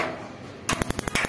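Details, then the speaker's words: Instant gas geyser water heater after fitting a sensor on the hot-water pipe: after a quiet moment, a rapid, even train of sharp ticks at about ten per second as the igniter sparks, with a single click from the gas coil. Normal igniter ticking. "गाड़ी टिक टिक की आ रही है, एक टिक की आती है खाली ये।"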